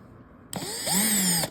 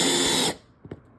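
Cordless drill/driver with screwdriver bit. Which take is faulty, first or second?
first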